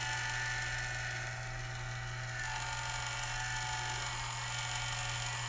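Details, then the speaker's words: Culligan Gold Series 9 water softener control valve being serviced for error 1H, cycled: a steady motor hum with a repetitive whir as the piston travels. There is slight strain but no binding; it is cycling normally. "so it's not binding it seems to be working just fine"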